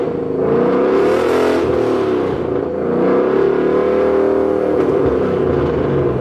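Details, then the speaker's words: Supercharged 2013 Ford Mustang GT, back after a month of repairs, resonators removed; clean even engine note swelling and falling with throttle blips, no misfire or knock, fuel trims now corrected: normal, healthy revving. "but hey it sounds healthy man it sounds night and day difference night and day difference"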